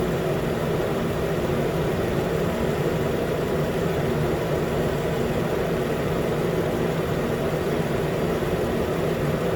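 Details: 2013 Nissan Pathfinder at 265k miles, idling after AC compressor clutch and serpentine belt replacement, about 80 degrees: new clutch clicks and pulls in, even steady idle with smooth low hum, no chatter, squeal or rattle; normal idle.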